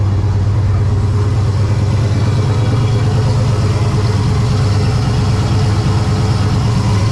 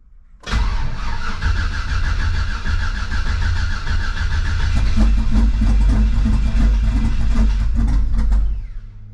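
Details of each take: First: Ventura with On3 turbo LS V8, first start after winter storage, intake gaskets replaced: loud lumpy idle with uneven random stumble; intermittent idle misfire, owner suspects cheap JDM spark plug wires. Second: Turbo LS V8 first start of 2025 after replacing intake gaskets to fix lean pop from an air leak, battery kept on tender: cranks and catches quickly, settles to even steady idle, no popping or stumbling; healthy.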